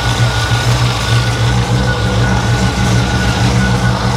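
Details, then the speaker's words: 1955 Chevy Nomad, supercharged 350, not yet fully warm, idling: steady low drone with a faint, even whir above it when revved; alternator suspected, not confirmed. "Oh yeah, it's the alternator for sure. I can feel it. What the hell? What that noise is?"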